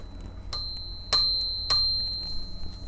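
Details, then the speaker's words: Princess 300 typewriter bell mechanism after flushing and loosening the pivots: three crisp, bright dings about half a second apart, ringing cleanly; the bell now strikes freely. "that that has loosened up a lot so I'm going to put this back together without the carriage falling off"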